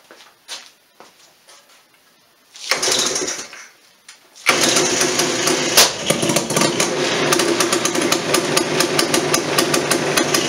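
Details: Two-stroke Polaris Sportsman ATV with newly installed motor, pull-started: runs roughly, broken by loud, irregular backfire pops; owner also notes faulty kill switch and junk throttle cable.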